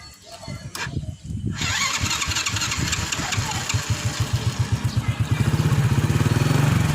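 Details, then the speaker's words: Honda C100-type engine (97cc real, quoted as 100cc, 7.3 PS) on an Astrea motorcycle: a brief crank, then the single catches and settles into an even idle of about four firm thumps a second; normal start and idle. "saya nyalain mesin Yuk kita dengerin mesin khas C100 Honda ini"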